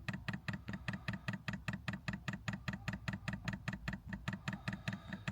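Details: 5 kW Chinese diesel heater newly installed in a VW Caddy, powered from a Jackery 1000 v2 DC outlet: even ticking about 2.5 per second over a low hum as the dosing pump pushes air through the fuel line; lots of air in it.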